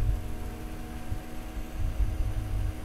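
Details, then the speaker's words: PC under load running Superposition benchmark, be quiet! Dark Power 12 750W PSU set away from it: low even hum with faint steady tones, no rattle or scraping, the graphics card fan sounding normal under load. "okay under load but as you guys can hear the power supply noise under load this power supply is really really quiet i'm like three inches away from the power supply fan right now"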